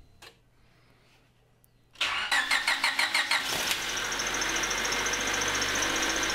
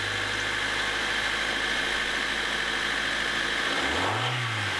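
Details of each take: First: 2000 Honda HR-V, 1.6 VTEC D16W engine, bonnet open before repair: starter cranks with squeaky chirps, engine catches and a steady high-pitched squeal rides over idle; long-screeching power steering belt squeal, belt to be replaced. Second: 2000 Honda HR-V with 1.6 VTEC D16W engine, started just after replacing a squeaking power steering belt with a new Gates 4PK845 belt: smooth, even idle with no chirp or squeal; the belt runs quietly.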